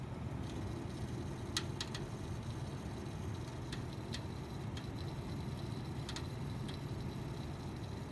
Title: Pc making weird crackling sound